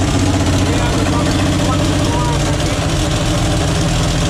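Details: 1944 Chevy Blitz WW2 army truck, first run in 30 years after fuel-quality problems fixed with fresh petrol and working pump: steady, even low idle with no misses, stumbles or surging; running cleanly.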